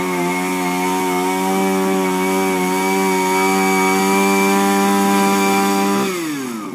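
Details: Refurbished Shindaiwa power broom with new carburetor, gaskets and recoil, no air filter fitted: steady high two-stroke drone, even and smooth at full throttle, easing off at the end. Clean, healthy running.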